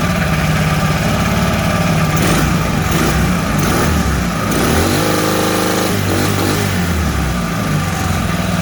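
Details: Mud motor (Mud Skipper Twister) on a 1648 boat, fitted with a welded-on Honda 300 muffler: low steady rumble with a couple of rev blips, exhaust note soft and subdued, much quieter than other exhausts; running normally.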